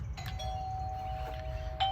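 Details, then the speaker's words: Eufy dual camera battery doorbell with home base, just installed on existing wiring, power restored, button pressed: two clear bell tones from the indoor chime, doorbell and home base; chime working normally. "What you first heard was the chime in here. You're also hearing the chime at the door. And you also hear the chime from the home base."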